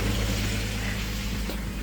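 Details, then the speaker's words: 2004 Jeep Grand Cherokee (WJ) idling right after a fuel filter replacement, with no leaks underneath. There is a steady, low, even idle hum with no misfire, stumble or ticking. It is running fine and normally. "It's running fine. No leaks. Running absolutely brilliantly."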